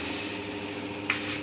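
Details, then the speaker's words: MD F-A055R evaporative air cooler fan, motor previously sluggish and groaning, after repair with capacitor on top: smooth, even hum with strong airflow across speeds and swing, quiet; normal fan motor running. "SwingSwingก็ปกติไม่ไม่ไม่เสียอะไรครับจะวิ่งปกติปิดเสียนะครับเงียบไม่ไม่ดังนะครับ"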